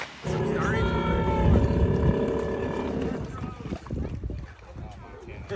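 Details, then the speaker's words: Free stand-up jet ski on its lake test: it revs briefly, then sags and sputters and won't rev up, bogging down. A carb rebuild and other checks are planned; cause not confirmed. "I couldn't get it to rev up, and it sounded like it was bogging down."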